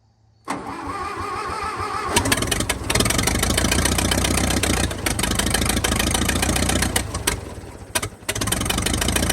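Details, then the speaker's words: 1922 International truck engine after sitting 30+ years, restarted after a bolt blew out leaking compression: catches then runs raggedly, uneven stumbling beat with dips; owner suspects a sticking valve. "we got a valve sticking or something she just ain't doing right"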